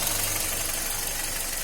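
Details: 2010 Hyundai Elantra running, after treatment for a whistle near the clutch that returned after engine washing: steady, even idle with only a soft hiss and no whistle; clutch area sounds healthy, fix worked.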